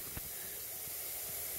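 Quiet, steady high-pitched hiss with no rhythm and faint clicks behind it; compressed air escaping from a leaking fitting.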